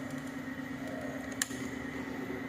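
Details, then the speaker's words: Honda PCX 160 ignition knob after rewinding its failed solenoid: single crisp "tek" tick over steady hum as knob turns on; knob no longer jammed, solenoid engaging normally. "Knopnya sudah tidak macet lagi, sudah bisa diputar ke posisi on, dan sudah terdengar suara tek pada knopnya ketika knop di on kan."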